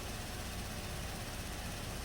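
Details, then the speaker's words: 2017 Buick Enclave after purging water-contaminated fuel, at idle; steady even low rumble with no knocks or misses; rail pressure 580 matching desired, low-side fuel pressure about 57-60 psi, running fine now. "and desired low pressure fuel pressure is 57.58 so seems to be running fine now"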